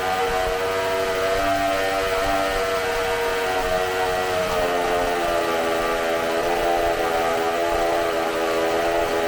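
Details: Bench test of a supercharged McCulloch two-stroke chainsaw engine, carb cleaned and new gaskets, running off tank fuel: high screaming note held steady near full revs, slight pitch drift, no misfire; runs fantastic, burns fuel very fast, makes supercharger sounds.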